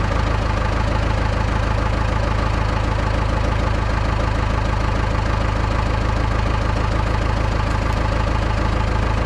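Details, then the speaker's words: Cummins 4BT-powered Tahoe diesel, first start after removing and manually cleaning coked injectors: steady, even idle clatter with a deep unchanging beat and no misses; black smoke previously seen under load is gone. "it's completely gone even under a load when I was dropping it in gear previously you'd see black it's rolling out of the exhaust"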